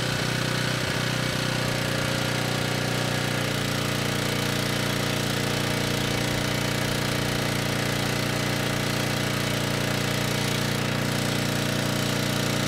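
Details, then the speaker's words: Ridgid 5700 W generator (RD905712), Yamaha MZ300 engine, dump find with 1500 hours, after carb check; cold day, warming up unloaded before load: steady even speed, constant drone, no misses or knocks; normal warm-up idle. "it's pretty cold day out so assuming it starts and runs gonna let it warm up a bit before putting a load on it"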